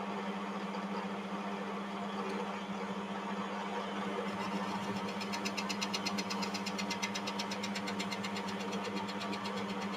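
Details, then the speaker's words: Lathe motor hum, then fast pulsing high-pitched chatter buzz as one more cut is taken to clean up the workpiece end; audible lathe vibration during cutting. "Actually, I'll just take one more cut if I can. I can actually hear the uh vibration."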